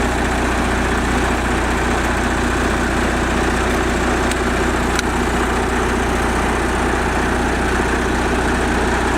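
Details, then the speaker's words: MEP 802A military surplus diesel generator running on auxiliary fuel connection (external 50-gallon truck tank), powering the house: steady, even drone with no misses, knocks or surging; normal running under load. "And then you just let it run on there. I get about 8 to 10 hours out of the regular 5-gallon tank that's on it."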